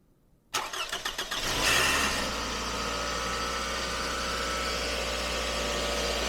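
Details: 2005 Toyota Camry started right after a valve cover seal change, oil topped up with Mobile 1, to check for leaks. Starter cranks briefly, then the engine catches cleanly into a steady, even idle with no knocks or misses. It no longer leaks.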